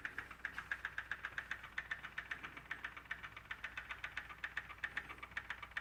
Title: M2 Ticking noise